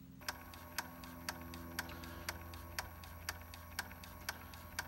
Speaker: so as you can see just clicking through nicely